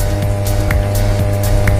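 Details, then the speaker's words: JMK power amplifier: a loud, constant low buzz with stacked low tones. With the fuse link between tone and power sections pulled the hum stays faint, and it grows loud when reconnected; faults found in both power and tone sections. "Jadi di sini masih ada kedengaran suara tapi kecil. Nah, seperti ini. Jadi sekarang coba kita tusukkan jalur penghubungnya. Nah, suara menjadi besar."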